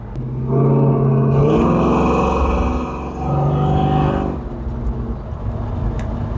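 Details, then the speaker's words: 1972 Chevrolet Monte Carlo with LS V8 swap on a test drive, warm with temp gauge near 200°F: deep rumble climbs smoothly in pitch as the throttle opens and drops back cleanly. Strong, even pull, sounding almost like a four-barrel. "it almost sounds like a four barrel when you get into it"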